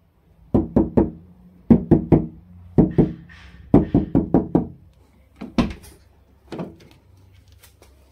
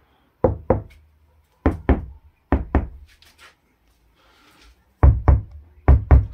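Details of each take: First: Dacia Spring door, before insulation: quick knuckle knocks on the interior plastic and outer sheet metal ring thin and hollow, as the door has no sound-deadening material at all; hollow door panel resonance. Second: Dacia Spring roof after first vibration-damping layer, plates heated with a hair dryer: knuckle taps give short, dull thuds with no tinny ring, panel still moves slightly, second layer still to come; damped roof panel.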